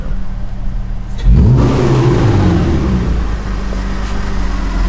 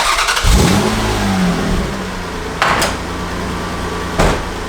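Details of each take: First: Toyota MR2 petrol engine after the exhaust leak was fixed: revs up and back twice, clean and even, with no ticking or puffing from the exhaust; healthy exhaust. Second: Toyota MR2 engine started and revved twice: raspy puff under the exhaust note from an exhaust leak where the headers meet the exhaust pipe.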